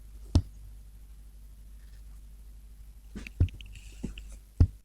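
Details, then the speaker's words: Export vacuum tube amp with no output, microphone against the speaker, just switched on: transformer hum broken by sharp irregular pops through the speaker; rectifier and output valves lit; popping cause not yet found. "What's that strange popping noise?"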